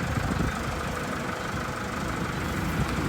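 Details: Toyota Vigo diesel after repair of white smoke caused by leaking injector seal washers (engine oil also changed), smoke purged: steady even idle with low chatter, no misses or knocks; normal diesel idle.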